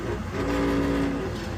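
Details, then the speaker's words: Weil-McLain HE boiler, fired and heating after a power surge and a no-heat call. A loud, steady droning hum with a rough buzzy vibration comes from the combustion blower motor, which sounds tired and may have worn mounts. A new motor is recommended. "It's getting tired. It's vibrating on here. The mounts might be tired. These are mounts that might be bothersome. It's definitely loud."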